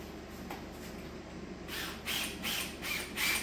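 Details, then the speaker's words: Big-block Chevy unrun for a couple of years, distributor out, oil pump primed with a drill: drill whirs with creaking chatter two or three times a second, dragging down as oil flows; normal oiling system priming. "So, you can feel once the oil pump starts moving a bunch of oil, um, you can hear the drill drag down and start working harder."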